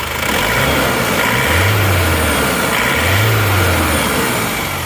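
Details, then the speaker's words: Isuzu Panther diesel after engine rebuild for metallic clatter at high revs: revs up twice and settles to a smooth, even idle, clatter gone. "Ya alhamdulillah mesinnya sudah halus tidak kasar ini kletk-ketknya juga sudah hilang kita"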